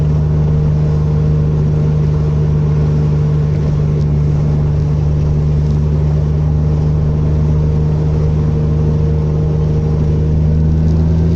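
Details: Mitsubishi Magna twin-turbo 6G72 DOHC V6 petrol after the misfire was fixed: runs smooth and even, then climbs steadily in pitch as it revs, with no stumble.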